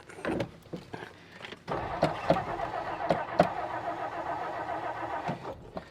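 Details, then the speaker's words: 1959 Meteor left sitting in the bush, start attempt: short, uneven starter churning bursts with gaps, no firing stroke; crank no start, no fuel supply, later primed with gas and ran better. "Is it gonna start? I might have to go get the gas can."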